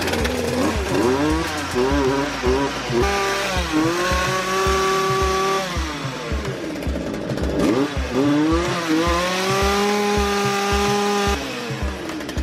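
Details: Jonsered chainsaw after replacing the cylinder and piston (scored, dented, no compression, blamed on too little oil): revs cleanly from idle to a high scream and back, picking up crisply each time; sounds healthy.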